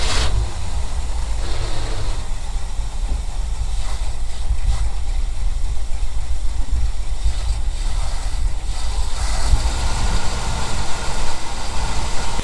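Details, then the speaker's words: 1975 Ford F-350 that sat about 20 years gives a rough, uneven low rumble that sags and surges with no steady idle, while oil and debris burn off around the exhaust; engine won't hold idle. "it's got like a no idle a lot of crap burning off in the back huh really really rough"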